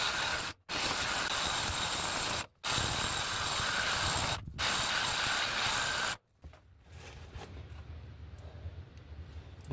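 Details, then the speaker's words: Cordless saw cutting 2003 Mitsubishi Galant exhaust pipe metal even after a battery change: rasping bursts of about two seconds cutting out abruptly and repeatedly mid-cut, the saw signalling its battery is almost dead. "stopping of the saw is the saw actually saying my battery's almost dead my battery's almost dead"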